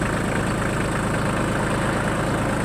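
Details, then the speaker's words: Shibaura D215F Japanese mini tractor diesel with 754 engine hours, started easily: smooth, even low chug at idle with no knocks, rattles or extraneous noise; engine running properly. "работает ровно [музыка] иметь или не издает никаких посторонних звуков травы как уже работает исправно"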